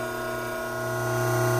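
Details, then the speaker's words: Hydraulic pump at normal working conditions before an inlet restriction is created, with about 3 inHg inlet vacuum and about 310 psi: steady, even hum with a smooth whine and no crackle or rattle. It is running normally, with no cavitation. "prior to creating an inlet restriction on this pump let's get a few background readings while the pump is operating in our normal working conditions"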